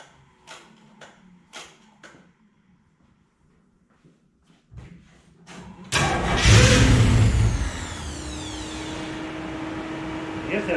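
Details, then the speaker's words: 1974 Chevy Nova with a new Chevy 350 engine and dual-chamber Flowmaster exhaust, on first start: a few clicks, cranking, it catches, then a whirring winds down; abnormal noise that owner hopes was the starter hanging up. "i also had a funny noise it sounded like the starter hanging up i hope that's what it was"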